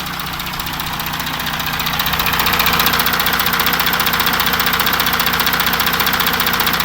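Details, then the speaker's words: 2016 Audi Q7 4M 3.0 diesel (CVMD), about 170,000 km, warm engine at idle, listened at each side of the engine bay: steady tapping about 2.5 per second over diesel clatter; engine knock, timing chain stretch being checked, source unconfirmed. "Так, обзор на тему стуки в моторном отсеке Audi Q7."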